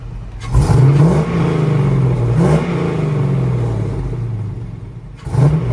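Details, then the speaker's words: 1965 Ford F100 on a Crown Vic frame with a bone-stock 5.3 LS swap: quick throttle blips rise to a throaty roar and fall back to a smooth, quiet rumble, no knocks; normal healthy revving. "I love the fact that this truck is very quiet still got a rumble but it's not a obnoxious but once you whip the throttle it does have a sound to"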